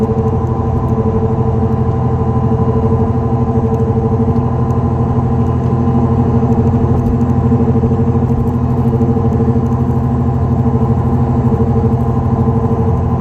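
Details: 2004 Dodge Neon SRT-4 driving: steady droning hum with a rough, gritty edge under the road noise. Bad wheel bearing.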